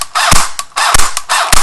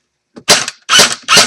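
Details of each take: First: Echo1 airsoft electric gun on a flat stock battery: three sluggish bursts of strained whirring with sharp clicks as the motor barely turns the gears; jammed/locked-up gearbox, and continued trigger pulls risk blowing the fuse and heat damage. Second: Echo1 airsoft electric gun on a fully charged stock battery, swapped in for a dead one, fired in a safe direction: three quick, sharp bursts of snappy cycling with clean stops; gearbox firing normally.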